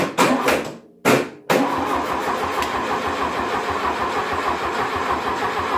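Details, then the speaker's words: 1972 VW Beetle 1200 engine, laid up for decades and test-run on a stand, with a sticking carburetor: a few coughing catches, then a ragged run only on primed fuel. It isn't drawing fuel through the carburetor. "it's not drawing fuel see what fire on that little bit it does it shows that it's obviously the fire but it's not drawing fuel from the carburetor itself"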